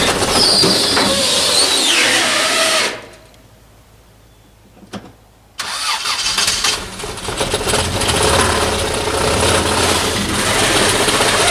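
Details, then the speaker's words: 1989 Toyota Corolla engine: rough running, won't stay running or idle, steady hard knock about four times a second under the roar; suspected rod knock. "as you can hear it really is not running good i don't know what's going on it doesn't stay running it doesn't idle at all yeah that doesn't sound good"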